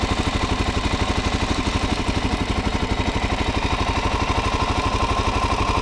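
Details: Stock 2019 Suzuki DRZ400SM with 452 miles, one oil change: quick even single-cylinder beat at idle with light mechanical ticking, normal valve clatter for this noisy engine; healthy.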